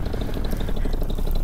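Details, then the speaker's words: Vittorazi Moster 185 paramotor after Walbro carburetor mixture adjustments, on launch: short steady, even two-stroke buzz with no stumbling or surging; motor sounds as it is supposed to, normal running. "yeah motor sounded real good now like it's supposed to"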